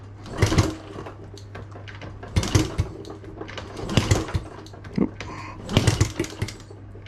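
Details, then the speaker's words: Honda Z50A Monkey bike on a CR70 stator, kicked over after a few pops: four short bursts with no firing or catch. Apparently fuel starvation, as the carb doesn't seem to pull fuel through, and it leaks fuel around its sides, needing a rebuild. "this doesn't quite seem to be pulling the fuel through still won't start unfortunately"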